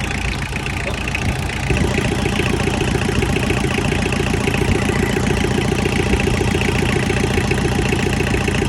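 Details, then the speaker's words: Tractor diesel engine pulled from pasture, restarted after jump, injectors tightened, needs fuel filter; even low chug about 3.5 beats per second, smooth without misses or knocks, much quieter; normal idle. "All right, I got back idling."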